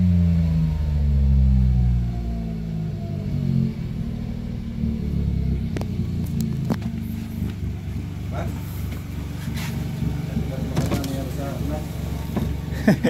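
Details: Mitsubishi Mirage G4 sedan after fixing a crank-no-start caused by a locked throttle body. Deep rumble climbs smoothly in pitch as revs rise, then settles, with no misses or knocks: normal revving.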